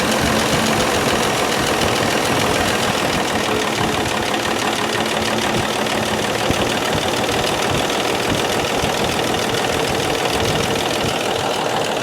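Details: 1995 Dodge 12-valve Cummins diesel, first start after the injection pump was reinstalled: loud, hard, sustained roar held at high speed with no throttle change. The engine is running away.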